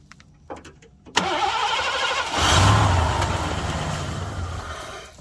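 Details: 1987 Mercury Grand Marquis LS, sitting nearly a decade with no fuel pump heard: short cranking, then it catches on sprayed brake cleaner and roars for a few seconds before dying. Crank, no start; fuel pump relay suspected.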